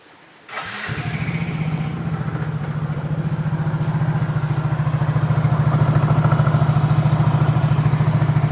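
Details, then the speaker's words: Yamaha Mio J scooter, which the customer says has a noisy engine and transmission, before disassembly: even low putter at idle with an irregular squeak that comes and goes from the CVT belt drive. "Ya, terkadang terdengar, terkadang tidak. Gatal. Ah, ada suara berderit yang tidak beraturan."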